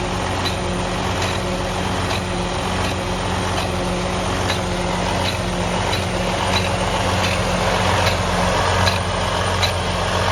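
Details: Truck with Detroit DD15 diesel also having excessive regens and fuel draining back to tank overnight: heavy idle with a sharp irregular knock about twice a second over low rumble; cause not yet pinned down.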